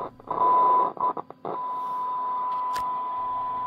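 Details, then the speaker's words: WWII German Funksprechgerät f radio receiver on bench, 21 MHz AM test signal, 12 V heater, low anode voltage: test tone crackles and drops out as volume knob turns; scratchy volume control improves with use. "the volume control is scratchy it gets better with some"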